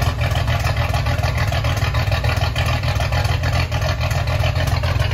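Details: Ford 300 inline-six with homemade turbo header, first fire-up with cutouts open after priming fuel pump: deep loud rumble with quick steady pulse through open pipes, even and strong; healthy running.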